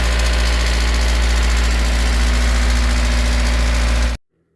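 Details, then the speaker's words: Toyota 5E (possibly 4E) petrol engine idling with a quick metallic diesel-like tick from the cylinder head, loud at idle and quieter with throttle; not bearings, rods or crankshaft, traced to a spring in the camshaft. "ota короче сильно шумит на холостых оборотах звук такой как будто дизель работает в тоже время это не вкладыши ни шатуны ни коленвал звук идёт откуда-то от башки"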